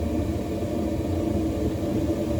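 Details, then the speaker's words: Weil McLain CGi power-vented gas hydronic boiler that was shutting down after ignition, now firing on hot water priority call: steady low rumble, no surging, popping or rattle, cleaner bluish flame; normal firing. "Nice and clean. It's cleaner, yeah. We have a more of a bluish Right. flame than we did before."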